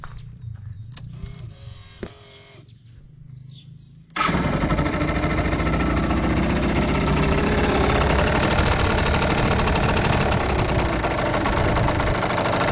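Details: Yamaha TDR/DTR 125 two-stroke (5AE plate), cold start: after a few quiet seconds it fires and settles into a steady, even, clean idle with no smoke yet. Owner suspects tired exhaust valve seals, since it runs slightly worse than the original 4FU.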